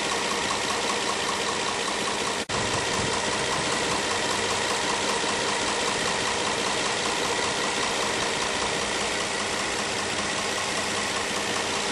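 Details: 2010 Nissan Maxima with 1,400 miles, idling with a steady, fast knock about two or three beats a second: engine knocking at idle.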